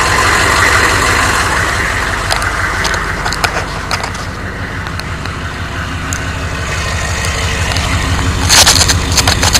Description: 1993 chevy Dually Diesel 6.5L Turbo 4x4, Startup without block heater and revving engine. You should hear a engine knock of some kind.